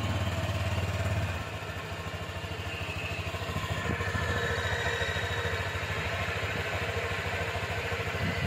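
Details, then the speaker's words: Honda Click V3 2023 scooter with 883 on the odometer, at idle: steady, even putter around three and a half pulses a second, no knocks or rattles; normal idle for comparison. "So papakinggan ko muna sa inyo yung sa akin is normal naman, no?"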